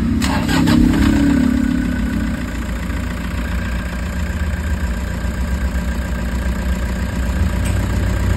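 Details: Toyota HiAce diesel after new idler bearings to cure engine noise: after the start it settles into a steady, even idle with no whine or bearing rumble; normal idle.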